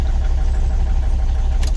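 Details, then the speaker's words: 2003 Volvo XC90 D5 diesel, running on 4 cylinders: lumpy, uneven idle misfire that returns after a touch of the throttle. A restart or brief 3,500–4,000 rpm rev sometimes restores a normal idle; the cause is under investigation. "But again, if I touch the throttle again now, it'll start misfiring. There we go, we're back to a misfire again."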